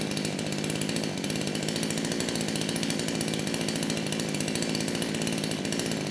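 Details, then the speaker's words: Kraftworld KW-5800 58cc Chinese chainsaw that wouldn't start after being run on straight fuel, with low compression suspected and a mangled clutch spring, restarted with throttle locked and choke on: a steady, clean two-stroke buzz that idles and revs properly. "and that's all I needed to hear the saw it is idling properly it's revving up it's doing what it should do"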